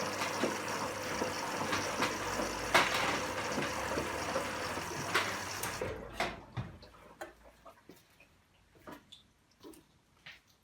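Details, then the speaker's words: Candy GVS169D3/1-80 Grand O Vita 9 kg washing machine on rapid wash, 30 degrees, 1200 spin, after replacing failed motor-control triac (error E09); steady water rush and pump draining at end of second rinse, then soft clicks; normal rinse fill and drain. "at the end of the second rinse it's pump and open out five minutes to go"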